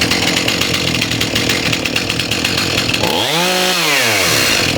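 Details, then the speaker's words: Stihl MS291 chainsaw after carb adjustment, mixture screws about 1.5 turns out, fixing lean running, poor idle and stalling: quick start, then a crisp steady idle on its own and a clean throttle blip. "Sounds pretty good to me now. Let's do a quick start here. Idles on its"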